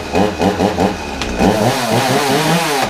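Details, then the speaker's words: Free, little-used Ryobi hobby two-stroke chainsaw, cleaned of oil gunk, first run, service still pending; idles evenly, revs up cleanly and settles back with steady burble, runs okay for what it is; normal running. "but actually that's not too bad that runs okay for what it is"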